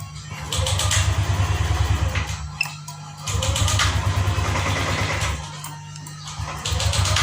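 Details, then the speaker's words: Yamaha Lexi fuel-injected scooter that died suddenly: ignition on, electric starter spins engine briskly in three even bursts but it never catches; cranks fine, suspected lost ignition spark, cause not yet found. "Nah, oke, teman-teman, ini double starter nyala, Pak, nggak jerek-jerek tuh, Pak, ya. Di sini nggak jerek-jerek, nyala. Namun motor tidak mau hidup, Pak, ya."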